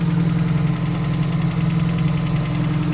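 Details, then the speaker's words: RAM 50 truck at idle: steady low idle with sharp metallic tapping about three to four times a second, like wrenches smacked together; top-end knock at idle, valve adjustment to be checked first. "Sounds like there's a Smurf in there smacking two wrenches together."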